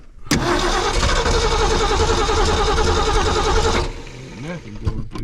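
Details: 1968 Ford F100/F250 with the carburetor needle and seat being tested: the starter churns the engine about three times a second for several seconds without it catching, so it cranks with no start because no fuel reaches the carburetor.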